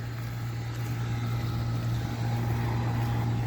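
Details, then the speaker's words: Air conditioner condenser unit running: even low hum with steady fan whoosh, no rattles, squeals or grinding; sounds awesome, running smoothly. "This one over here sounds awesome though."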